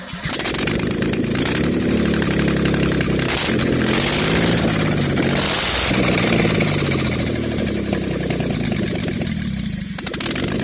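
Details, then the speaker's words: 1988 Chevy OBS project truck after engine swap, first start at dusk with no water pump fitted: loud, uneven lumpy running with pops and backfire flames as it catches after cranking; runs rough, cause not determined. "Well, it's not running the best, but at least it is running. Put on a little fireworks show there."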